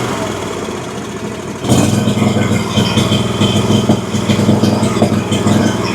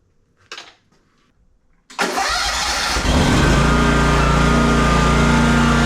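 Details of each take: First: Exmark Vantage S stand-on mower, Kawasaki FS541V, 1181 hours, found with no oil (oil and filter then changed), runs with an uneven, stumbling beat and exhaust pops; owner suspected overfueling or a sticking valve. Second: Exmark Vantage S stand-on mower with a Kawasaki FS541V engine, previously popping with low power under blade load, after repair and spacing check: quick crank and catch, then a steady, even drone with no popping or misfire; runs beautifully.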